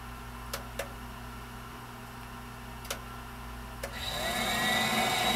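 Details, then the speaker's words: Viessmann Vitodens 200-W WB2B35 condensing boiler, built about 2011 and about 5 years in service, which intermittently stops heating with no fault codes: a few soft clicks, then a smooth rising rush settling into a steady roar as the burner ignites and fires normally. "so as far as I can tell well the boiler is operating as it should be right now"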